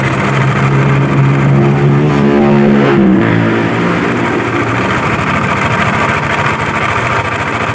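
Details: Yamaha Aerox scooter running, reassembled while awaiting parts; complaint of loud noise near the CVT case/primary pulley. Heavy, steady knocking that keeps pace with the engine. Cam chain, tensioner, cam bearing and rocker arm were checked fine. The knock comes from worn connecting rod and crankshaft bearings.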